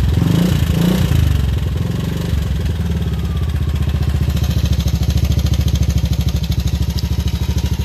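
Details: Yamaha Aerox scooter before repair, failed timing chain tensioner (earlier repaired wrongly elsewhere): fast, loose metallic clatter riding over the low engine drone at idle; timing chain rattle.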